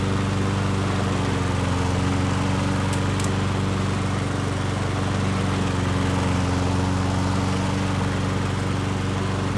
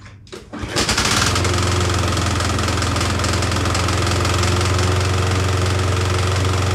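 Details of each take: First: Nearly new Yard Works self-propelled push mower said to be seized, running after $0 fix: steady even beat about four per second for eleven seconds, no knock or rattle, clean shutdown; normal running. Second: Yardworks self-propelled push mower whose engine was supposedly seized but freed by turning the blade by hand: after a pull start it runs with a harsh, fast, uneven knocking about four per second and heavy smoke; cause suspected, not confirmed.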